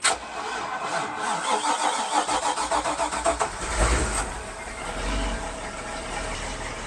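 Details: Mercruiser MAG 383 Stroker, closed cooling, Bravo One outdrive in Maxum 2400 SCR boat, started on water muffs during spring tune-up after oil, belt and gear lube checks: starter cranks briefly, catches cleanly, settles into even steady idle, no knocks or misses.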